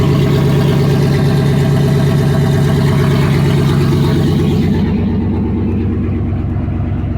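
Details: Chevy 5.3 V8 parts truck, reportedly lost its rear main seal, leaked out all its oil and started knocking, smelling of oil: revs cleanly with an even drone and eases down; no engine knock, sounds healthy.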